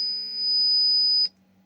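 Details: Laney Cub 12R guitar amp oscillating as controls advance: loud, high screech near 5 kHz over hum that cuts out abruptly to faint hum when a socket is grounded with a clip lead; grounding fault from paint-insulated chassis halves.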